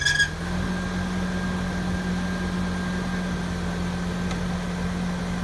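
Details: Engine at idle with a steady, thin squeal held over it that does not change with time; an abnormal engine noise whose source is unclear.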